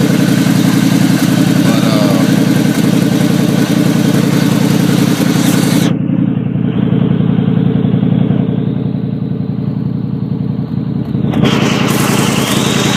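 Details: 1989 Chevy Caprice after the thermostat was replaced and the exhaust leak fixed: a steady idle with an even low pulse of about three or four beats a second and no exhaust puffing. It is running healthy.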